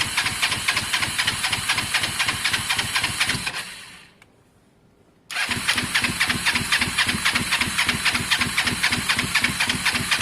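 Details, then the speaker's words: Kawasaki ER-5 twin: uneven, lumpy idle, cuts out, restarts the same way; runs rough, cause unknown, spark plugs suspected dirty. "uh something's changed guys um something's changed you can hear it's just not happy i i don't know what it is i'd love to be able to say i do"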